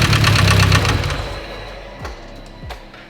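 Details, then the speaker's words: Mitsubishi Evo 10, started after sitting in another shop; loud rapid even top-end knock at idle, about four per second, fading as the engine winds down; from a faulty MIVEC cam gear. "it is knocking really loud so and it's coming from the top end I'm gonna pop the valve cover real quick see if anything sus is going on in there"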